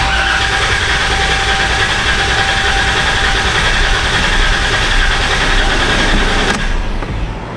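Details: Low-mileage (about 55K) 2016 Dodge Caravan with P0302 cylinder 2 misfire, relative compression test cranking with pedal floored; steady cranking about four beats a second with one weaker beat each cycle, pointing to a low-compression cylinder.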